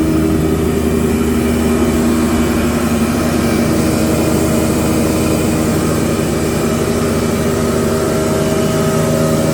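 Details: Used SR6-10 (Krasny Metallist) 630 mm thickness planer after restoration repair in May 2021, three motors (main, lift, feed), feed 8–16 m/min: smooth even hum, steady motor tones, no knocks, rubbing or surging; runs healthy.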